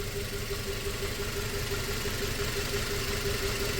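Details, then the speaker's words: 2004 Toyota Tacoma 4-cylinder, 141,000 miles, warm idle: rough, uneven pulse about three a second under a faint hum; dead miss on cylinder 1 persists after new coils and plugs. Injector pulses fine but is suspected of failing once heat-soaked. "I'm gonna plug it back in just to make sure it's still misfiring. I'm pretty sure it will be."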